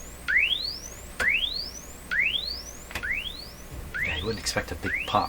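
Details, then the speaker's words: RCA Victor 67V1 console radio after replacing its paper audio capacitors, including the tone control capacitors, run on a dim-bulb tester: clean rising chirp tones about once a second with no hum or crackle; volume about the same as before. "tone control i changed the tone control capacitors both the same volume level i'd say"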